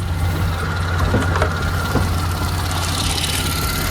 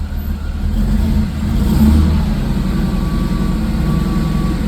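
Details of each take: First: Mercedes-AMG supercharged V6 (upgraded intake, 82mm throttle body, 550cc injectors, 175mm crank and 65mm supercharger pulleys) idling warm after a short first cruise; steady, even, smooth low beat, no misses, a few light clicks, normal idle. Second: Mercedes-AMG supercharged V6 on first startup after upgrades (82mm throttle body, 550cc injectors, 175mm crank pulley, 65mm supercharger pulley, intake): revs hang after a light throttle blip instead of dropping to idle, then come back down; cause not yet known.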